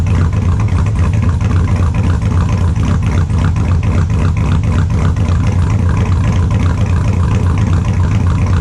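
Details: 2002 Chevrolet Silverado, cold idle after sitting since Friday: extremely loud, deep, steady idle with an even lumpy cam rhythm, no misses or knocks; normal cold idle.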